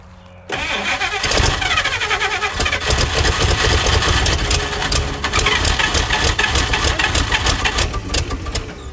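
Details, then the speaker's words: 1956 Chrysler Windsor engine, not run in at least 5 years, starter just reinstalled: cranks, catches and runs ragged, almost idling, only on fuel sprayed over the engine; runs only on hand-fed fuel, no steady fuel supply. "She's actually almost idling, which is hilarious."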